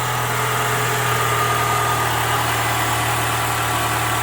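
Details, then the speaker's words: 2007 PT Cruiser after new spark plugs, plug wires and coil pack, overdue tune-up: started quicker, steady even idle with a low constant hum, no misses, knocks or stumbles; engine sounds smoother. Normal idle. "I think the engine sounds smoother I think that was a tune-up that was way overdue"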